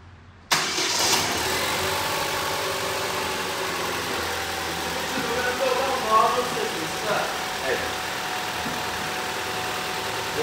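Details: Petrol engine with VANOS, after inspection of cylinder head and bearings showing no scratches: starter catches quickly and engine settles into a smooth, even idle with no rattle or knock; normal start and idle.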